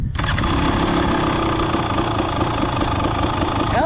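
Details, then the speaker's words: 2023 KTM 300XC two-stroke during fuel tank run-dry test: brief crank, catches at once, crisp even two-stroke idle; fuel pump runs only briefly at start unlike 4-strokes; normal start. "So you can hear it kind of run, but just like it doesn't do the whole long run thing like the 4-strokes."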